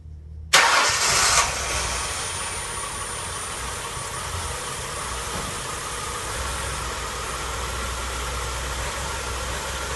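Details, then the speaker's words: 2004 Mercury Monterey 4.2 cranks and catches, then idles with an irregular stumble about twice a second; codes P0300, P0301-P0303 and P0316 show misfires on cylinders 1-3, the back bank, plus an intake gurgle, with catalytic converter damage suspected. "It's pretty obvious. You can hear, you can feel, you can see the misfire. See how the engine's stumbling."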